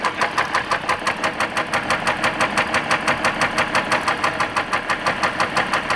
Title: 3.0 diesel severe engine knock